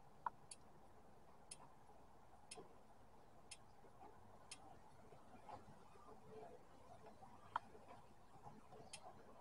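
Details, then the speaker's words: Injector click test via Tech 2 with ignition on and engine off. Faint sharp clicks about once a second; injector 4 gives no clicks at all and has failed: dead fuel injector. "it sounds like injector four he's got no clicks at all so it looked like injector 4 wasn't clicking at all"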